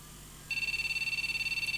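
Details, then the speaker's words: Gigabyte GA-8IG1000MF Pentium 4 Socket 478 retro PC on a known-good P4 ATX supply, one of three RAM strips removed: fast, high-pitched continuous beeping, about fifteen a second from power-on, a memory error code; RAM to be cleaned with isopropyl alcohol. "Yeah, we still have this continuous bleeping noise."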